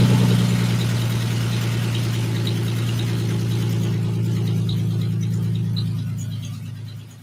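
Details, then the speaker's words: Honda J-swapped Porsche 914 on first startup: a low steady running hum with faint fast mechanical clacking that fades as the engine winds down; heard on the passenger side, owner wonders about a loose bolt, cause unknown, compression test planned. "sure sounds like a mechanical clack clack clack though i'm not sure what's going on"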